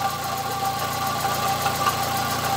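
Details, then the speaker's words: 2005 Fiat Palio 1.8 at idle, heard via a hose stethoscope at the pump: constant whirring, rough ring over the engine note; worn water pump, replacement parts bought for repair. "Bueno no sé si se pareció el sonido pero Ya chequé que es la bomba del agua como ese es un trabajo mayor digamos hay que hacerlo como debe ser"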